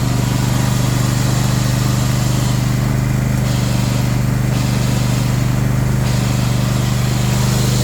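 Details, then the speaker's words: John Deere S130 lawn tractor at first startup diagnosis, ticket noting starts, belt, squeaks, pulley: steady engine drone with rough whirring and faint rattle; pulley noise with clutch disengaged plus deck noise, from a worn idler pulley bearing. "Good golly, for such a nice new mower, making all kinds of noise. Definitely hear deck noise, and definitely hear pulley noise when you have the clutch disengaged."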